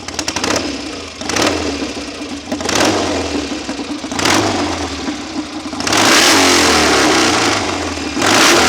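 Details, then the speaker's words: BSA A65 Hornet twin, engine rebuilt by someone else and thought to need bedding in, after carb, jet and plug work for uneven tickover: sharp throttle blips then a long held rev, climbing crisply with no misfire; sounds strong. "certainly sounds like it means business"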